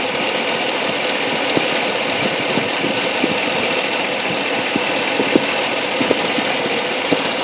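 Near idle, irregular sharp ticks pop through a hissy engine hum; an odd noise whose source can't be pinned down by ear.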